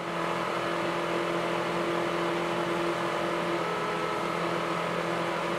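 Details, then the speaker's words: Suburban DD-17DSI RV furnace in a Nomad trailer: the blower motor whir runs high, then drops partway through. The speed is surging; the owner suspects the motor is tightening up and drawing extra power. "okay you can hear it it went up and then down so the motor is starting to tighten up a little bit"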